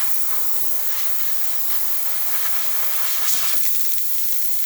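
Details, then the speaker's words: ECM Mechanika IV espresso machine after full service tune-up: steam wand slow to start, then steady even dry hiss without sputtering, running nice and dry; normal steam wand operation. "The steam one on these ones take a while to shoot steam, but after it does, as you can see, running nice and low. Let it run, nice and dry."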